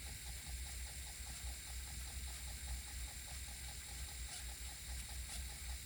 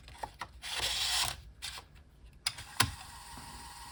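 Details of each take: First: 5.25" floppy drive on GreaseWeazle v4 with a double-sided double-density disc: soft spinning hum with faint even ticks, no stepping chatter; read head never moved. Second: 5.25" floppy drive on GreaseWeazle v4 after supplying missing 12 V: quick bursts of stepper clicks and brief buzz as the head seeks, then quiet steady spinning; reading normally.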